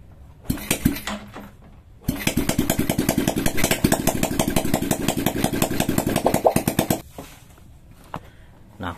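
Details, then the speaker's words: Engine start after a DIY, no-rebore fix for light smoking when hot, exhaust not yet fitted and carburettor not yet tuned: a few cranking pops, then a loud open-pipe putter for about five seconds; normal clean start and idle. "kalau udah nyala Tata tadi itu tanda-tanda sukses ya Temen temen tinggal pasang knalpot nya dan selesai ya"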